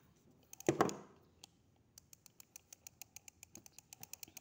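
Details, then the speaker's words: Penn Fathom FTH25NLD2LH lever-drag two-speed overhead reel: older-style pawl (dog) anti-reverse giving crisp, even ticks about seven a second as the handle turns, unlike the Fathom's silent pawl system; normal anti-reverse clicking. "ini docking yang model lama. Ini juga docking sistemnya. Selalu ada bunyinya."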